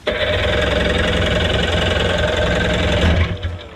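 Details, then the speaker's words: 1996 Seadoo XP 800 two-stroke with stock water box and exhaust, R&D reduction nozzle removed, on its water test: runs unevenly, stumbling, surging and sputtering because a forgotten loose hose let water into the engine. "It's your classic, which hose did I forget to tighten? And it's this one back here. One of those out of sight, out of mind type of deals. Got the water drained out, got that line hooked back up."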